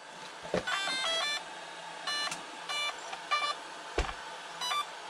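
Series of short, evenly spaced electronic beep bursts at power-up, the speed controller arming normally with no fault tones.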